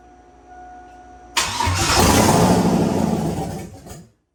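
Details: Turbo Silverado tuned on E85, first start after rebuild with new gapped rings and ARP rod bolts following #7 ring land failure: cranks, catches quickly, runs evenly a couple of seconds then shuts off, no knocking; normal start and idle.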